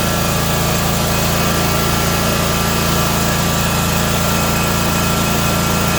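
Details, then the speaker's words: Ferris 1000Z zero-turn mower after repairing loose seat-switch wire terminals that caused no-start: small engine running smooth and even at steady fast idle, no misses, knocks or surging; normal running. "so so yeah this thing starts up runs perfectly fine"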